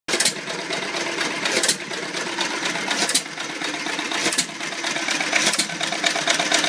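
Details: Old Iron Creamery power plant engine, first run after rebuild; busy mechanical clatter with sharper pops about every one and a half seconds, old slow engine running steadily, normal.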